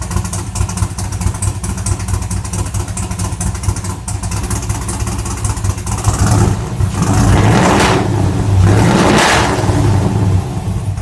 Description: 2014 2SS L99 Camaro "GhoSSt" first start with stage 4 VVT cam, literally misfiring on four cylinders.